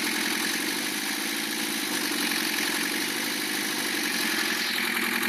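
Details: Lancia Thema 2.5 TD diesel idling after overhaul: sharp metallic knock from the cylinder-head area over diesel clatter, slightly reduced by disabling injectors 2 and 3; timing marks correct, owner suspects piston hitting liner or valve, later piston.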